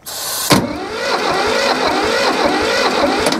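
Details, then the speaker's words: Hinomoto E230 diesel tractor, parked for years, on jump box with some throttle: starter whirs steadily for a few seconds without catching; slow cranking from a loose battery terminal, likely the ground. "come on baby oh I lost power hang on no I think one of the cables is loose cuz I lost all power"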